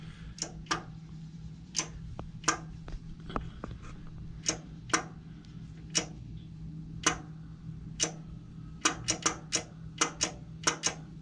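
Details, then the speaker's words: Craftsman riding mower starting system, key turned with multimeter showing only about 0.2 volts on the starter side of the 4-post solenoid, connections tight: sharp uneven clicks over faint hum, no starter spin; owner suspects bad solenoid. "I think we've got a bad solenoid in here."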